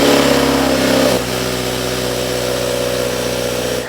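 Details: 2019 Subaru WRX FA20DIT turbo with aftermarket intake, on dyno after all coil packs replaced: uneven, stumbling pull under load, intermittent misfire/breakup persists; coil pack swap did not fix it.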